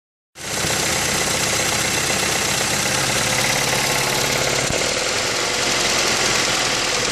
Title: 2005 Mazda 3 rough idle, poor performance